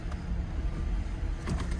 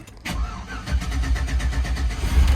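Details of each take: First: 2005 Cadillac CTS at auction, 139,000 miles, check engine light on: deep uneven idle with loping pulses and odd ticks, engine doesn't want to idle; possibly a fuel issue, cause unconfirmed. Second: GM GMT800 Z71 4x4 truck with 269,000 miles at an impound auction: brief crank, then catches and settles into an even deep idle with no knocks or misses; starts and runs fine.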